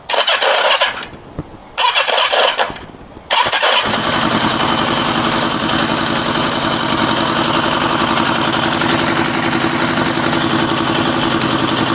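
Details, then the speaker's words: Kawasaki Z650B four-cylinder after restoration, rebuilt carbs refitted, new battery, started on choke: cranking bursts then lumpy uneven idle, one pipe stays cold, won't idle off choke but revs; one cylinder dead, running on three. "another one pipe doesn't want to know can tell you it doesn't sound quite right and if it easier to choke it won't idle they will rev"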